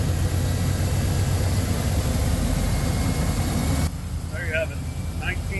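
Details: 1995 Chevy K2500 Suburban after replacing the failed ignition module under the distributor cap that caused crank no start (original coil good): steady low rumble with an even beat, no misses or stumbles; idling normally.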